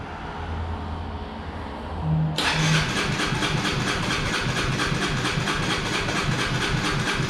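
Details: Honda CBR125R fuel-injected single, hesitating with FI light, dirty tank from previous owner neglect; fuel pump cleaned and primed, injector and line cleaned: starter churns about two seconds then catches into a rough, uneven run, hard starting.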